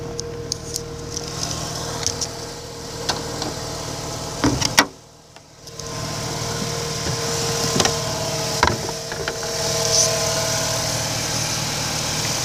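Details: 2005 Mazda RX-8 rotary idling under the hood a day and a half after a rough idle, flashing light and white smoke. Coolant level is normal and a coolant seal leak is hoped ruled out. The idle hum is smooth and even with no misfire.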